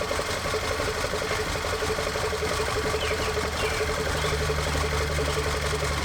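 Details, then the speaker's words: Audi engine after retiming and a camshaft replacement, idling: lumpy idle with an uneven tick about three times a second, smoothing out when revved. Misfire, later put down to apparent ring damage on cylinder 4. "definitely missing so i guess i'm gonna do a compression test in this compression shop then i'll figure the injector is probably okay you get it revved up it kind of smooths out a little"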